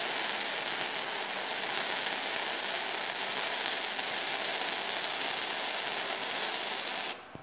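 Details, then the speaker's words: Firepower FP-200 flux core welder, second test weld on eighth-inch plate at low end of recommended settings: steady even crackle and hiss for about seven seconds, no pops or sputter; smooth arc, bead slightly hot. "start was a little bit cold but then uh once it ran in not bad I think so it has adjustable run-in I think that needs to be adjusted a little bit seems to be maybe that it's putting too much wiring too fast"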